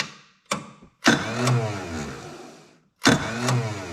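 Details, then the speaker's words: Lesco zero-turn mower with a Kohler CV20 20 HP V-twin, started after a charging system repair: a brief stab of cranking, then a longer crank that fades without catching; the starter is finicky and erratic. "This starter is a little bit finicky."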